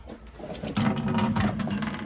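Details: New Yorker boiler with no heat: 3-speed Grundfos circulator pump giving a low steady hum with rough rattly bursts, airlocked with no system pressure; circulator failed and was replaced.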